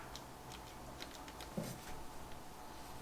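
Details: 1964 Chevy Impala, 283 V8, off the road 28 years, starter with broken nose cone and poor battery cables: faint sparse single clicks about once a second, starter engages weakly and won't crank the engine.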